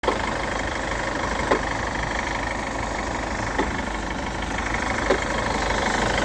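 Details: Chevrolet Captiva 2.2 diesel idling with a faint sharp tap roughly every 1.5 seconds over the diesel clatter; engine knock at idle, owner suspects the timing chain mechanism/components, not confirmed.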